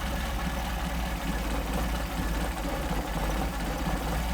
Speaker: How about that? 400 RPM idle. That's all due to the machine work that these guys are doing for me.